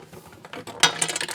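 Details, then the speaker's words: VTEK TM-50 manual SMD taping machine controller, during unboxing: short bursts of light metallic clinks as the box is tipped, a small loose piece sliding inside the case; loose part rattle prompting teardown. "out controller uh-oh hear that we got rattle rattle is not good"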